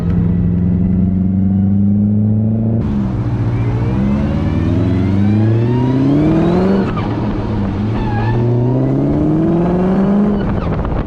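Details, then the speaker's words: BMW E34 540 with ZF 5-speed manual, run without fluid, after transmission job and resurfaced dual-mass flywheel: tonal whine rising with road speed in each gear and dropping at shifts, traced by stethoscope to inside the gearbox; drives and shifts fine. "the car drives good uh it shifts good but it's embarrassing dude like you can't even drive it around like a neighborhood all you hear is just wine it sounds like it has like straight cut gears"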